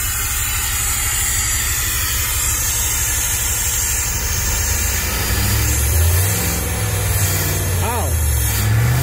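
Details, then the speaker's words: 1998 Jeep Grand Cherokee Limited 5.9 V8, 119,000 miles, abandoned five years, after purging bad fuel: uneven, lumpy idle with stumbling beat and rough revs, misfiring but best it has run alone; rough running. "oh wow this is the nicest it's run on its own i know it's still running bad but this this is uh this is pretty good"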